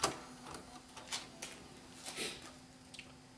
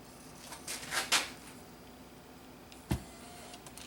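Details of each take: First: Bose music system CD changer, repaired after being dropped, optical pickup blown clean with air: quiet irregular clicks and short whirs about once a second while switching discs, no grinding or slipping; changing normally. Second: Dropped Bose music system CD changer: quiet room with scattered sharp ticks and clicks at irregular intervals, disc not spinning; suspected bent top plate freezing the disc, which spins if pushed by finger. Cause suspected, not confirmed.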